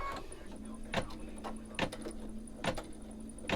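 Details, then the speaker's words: Home embroidery machine about a year old with heavy use, stitching in a 5x7 hoop: thumps about once a second with a faint steady high squeal. Owner thinks it is a small internal fan squeak needing servicing. "There it is. A little fan squeak inside the machine. Probably should be taking it in for just a servicing."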